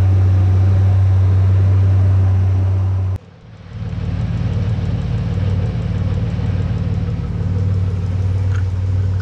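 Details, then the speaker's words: Nissan Navara VG30 V6 first start after swapping 180cc side-feed injectors for LS2 42lb 440cc top-feed injectors, tune updated by laptop: brief crank, catches and settles into a steady, even idle with no stumble; normal idle. "I've plugged my laptop in and told it the bigger injectors, so let's see if it starts. Well, it's running."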